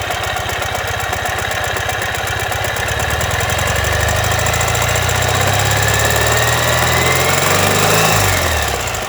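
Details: 2015 Ural Ranger at idle: a hard, rapid knocking at about four per second rides on top of the idle and follows engine speed, caused by a collapsed front crankshaft main bearing.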